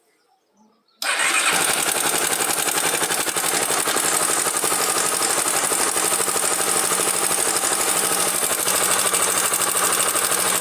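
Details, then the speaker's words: Honda Twister single-cylinder motorcycle at idle with a dry metallic clatter like a chain; suspected slack cam chain because the cam chain tensioner may have failed and is not tensioning the chain. "pode ser também só o acionador aqui que deu algum PT aqui ele não não tá esticando a corrente"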